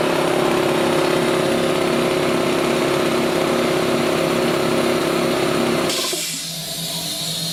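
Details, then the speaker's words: Compressor bought new 25 years ago, after draining its 25-year-old oil, demonstrated with valve open: steady even hum with firm regular beat about four per second, no knocks or rattles; running healthy. "So as you can hear, it's actually sounding quite good, which is a bonus."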